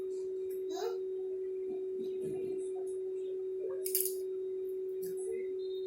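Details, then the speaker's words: New Q9 wireless Bluetooth mic in rose gold, tested connected to a phone app. A steady low-mid drone of about 350 Hz from its built-in speaker runs unbroken and grows when the volume is raised: constant hum. "Besarin ngedengung. Tuh, halo. Kita tes pakai handphone. Q9. Connect. Tes di sini karena aplikasinya baru. Masih kedengeran ya dengungnya"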